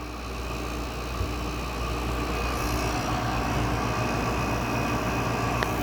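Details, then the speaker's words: Window air conditioner compressor starting after sitting a while, low on refrigerant charge: steady low hum with rough, uneven rattle about four times a second; owner suspects a compressor lubrication issue. "Yeah, I think it's got a lubrication issue. That's what that sounds for. I'm pretty sure that is pointing to a lubrication issue. It really only does that when it's sitting for a while, which makes sense."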